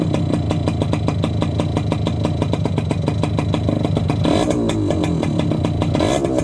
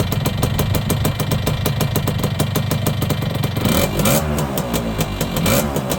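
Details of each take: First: Yamaha YB100 two-stroke on its old standard exhaust, rusted-through holed downpipe, before replacement, a couple of quick revs: harsh, rattly crackle that blares on the revs; the exhaust is far too loud. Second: Yamaha YB100 two-stroke after fitting a new exhaust: crisp, rapid popping held steady, then smooth rises and falls in revs with no rattles or blowing; engine runs cleanly.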